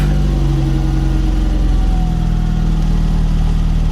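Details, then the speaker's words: Unsteady cold idle on a classic VW Golf Mk1 Softtop at first startup after the project: low, lumpy idle with pitch sagging as choke is dropped off; owner says it needs tuning, more choke settles it. "Let her warm up. Oh no. Sounds like we need to tune her a little bit."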